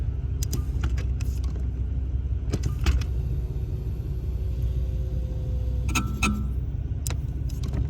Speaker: Так, Lexus GX470. Странные именно скрипы при нажатии, отпускании педали тормоза.